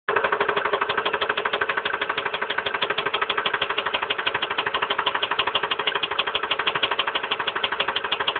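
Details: 1999 Ford Expedition Eddie Bauer 5.4 V8 at idle: sharp regular knock about three beats a second, starting after intake manifold removal, coolant pipe replacement behind the water pump housing and new spark plugs; cause not identified.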